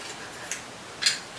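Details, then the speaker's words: Freshly built front bicycle wheel being stretched by pressing the spokes with body weight: two sharp, light ticks about half a second apart; normal spoke creak during wheel stretching. "Just do it till it stops creaking really. And you feel like you've actually stretched the spokes. And you just hear them still creaking a little bit."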